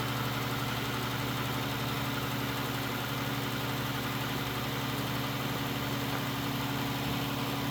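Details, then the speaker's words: Poorly maintained engine that had run short of coolant and oil, with heavy leaks, started with a jump pack. Rough warm idle with a steady deep knock about four a second. Rod knock is suspected, not confirmed. "So yeah, most likely the rods are hitting the top or but we definitely got a lot of work to do. So that's what it sounds like and looks like."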